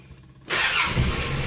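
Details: Mitsubishi 4D56 engine after diagnosing and repairing a starter that clicked and took several tries: the starter engages cleanly and the engine catches within half a second, settling into a steady, even run. A healthy start.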